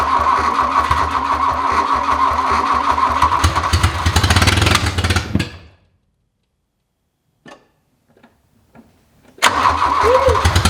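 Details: 1981 VW Rabbit abandoned over 20 years, fed two-stroke gas mix from a jug: fast cranking with ragged sputtering firings that catch and die, then silence before cranking resumes; sputters but won't run, and a fire broke out.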